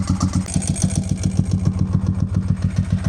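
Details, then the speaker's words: 748 motorcycle warmed up to temperature, idling on its own at about 1,000 rpm: even, steady low thumping with no misses. "You can see it's idling at about 1,000. I'm hoping once it finally warms up, it'll be it'll idle on its own, but I'll check back in once uh finally gets up to temperature."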